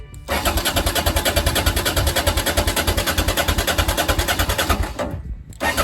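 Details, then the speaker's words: Honda XL650V Transalp after a service and a month standing, freshly refuelled with 5 L: the starter cranks evenly without catching; fuel had likely evaporated from the carburettor float bowls, or something may be stuck in the carbs. "Problem był z poziomem paliwa w komora pływakowych stał długo wyparowało i nie chciało sobie chyba albo może coś się przywiesiło w gaźnikach"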